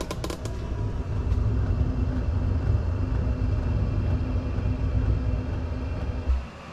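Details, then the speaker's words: Chinese diesel air heater restarting at setting 5 after an overheat safety shutdown at setting 6. The pump clicks, then a few faint ticks before a low roar builds and holds as it lights, taking a minute. Normal ignition and ramp-up. "So it takes a minute to actually fire up, is all it is. We can hear it light."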